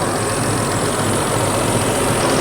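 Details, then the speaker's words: 2011 Chrysler Town & Country 3.6 L idling with AC on after AC compressor replacement: steady, even idle, no knocks, rattles or clutch chatter; compressor and engine sound healthy. "all right so as you can hear the engine is running everything sounds good we're good to go"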